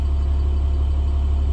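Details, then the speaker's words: 2012 International PB105 diesel short bus, about 105,750 miles, automatic transmission. It starts right up without a jump and settles into a smooth, constant low diesel rumble at idle with no knocks, rattles or surging: normal idle. "we goe and start it up you can hear it run it starts right up it sounds great"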